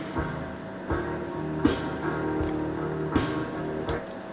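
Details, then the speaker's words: Sony Giga Juke, CD playback after ripping tracks to the hard disk: music drags low and sluggish, pitched down as if at half speed; slow playback, main board suspected but not confirmed. "let's listen to this CD again oh oh dear it's going slow again"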